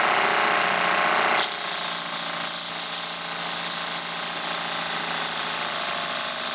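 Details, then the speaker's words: Saito T2DR steam engine on B2F boiler, burner turned way down giving less boiler pressure: fast, busy, even chuffing hiss as the engine spins freely at major RPMs, normal high-speed running. "I've got the burner turned way down consequently we got less pressure in the boil and you get some some major RPMs out of this thing you can hear it going there"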